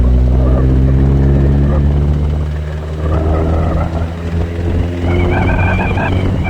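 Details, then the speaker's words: Big-turbo Audi A4 B7 1.8T 20V after a dyno run: low steady drone with a repeating knock about four per second, seemingly from the head; oil changed and head components re-torqued, noise remains, possibly bearing knock or internal damage suspected. "So I hoped that I was going to see something that's loose here, because it sounds like it's coming from the head if you listen to the piece of clip again."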